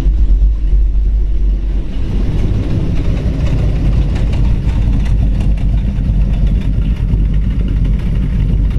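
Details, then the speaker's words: 1936 Ford 3-window coupe hot rod, Ford powered, a little cold just pulled into garage, oil pressure 40–50; deep steady even rumble with no knocks or misses, slightly uneven while cold — normal cold idle. "a little cold we just pulled it down the garage"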